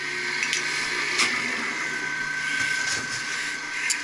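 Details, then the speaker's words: HVAC pump motor running with a steady high whine, gritty hiss and sharp ticks after a customer's noise complaint; bearings are gone, and the Lovejoy coupling should be checked; the pump was removed for shop bearing replacement. "that's the bearings boy that's the bearings bud make sure the Lovejoy is good yeah the bearings are gone I hear it everybody hears"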